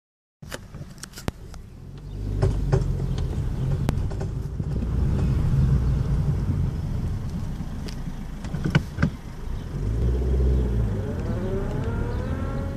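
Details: Honda Civic moving forward and turning right gives rare, scattered sharp clicks over low road rumble; some suggest a CV (homokinetic) joint, but owner doubts it since that joint was replaced within the last 20,000 km.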